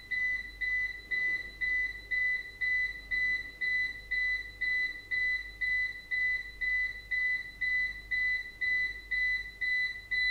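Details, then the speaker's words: APC Back-UPS BX750MI running on battery during a runtime test: sharp, high beeps about twice a second with a faster-blinking LED, warning that the battery is almost empty, at about 26 minutes. "jetzt scheint er den restlichbenszustand erreicht zu haben macht sich bemerkbar durch lautes schnelles Piepen man sieht's und man hört's auch ne also die LED blinkt jetzt schneller man hört das Piepen"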